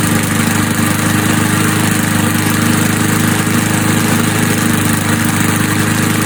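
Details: Old Sears Craftsman Eager 1 mower, single-cylinder Tecumseh engine, air filter installed, smoking off; steady thumping at fast, even idle, loud raspy exhaust, no misses or surging, running properly.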